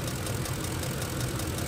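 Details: 2006 Ford F-150, 5.4L 3-valve Triton V8: a fast, sharp tick at idle keeping time with the firing, sounding like an exhaust manifold or roller follower tick. The cause is a loose, backing-out spark plug leaking compression; the plugs should be torqued to 25 ft-lb.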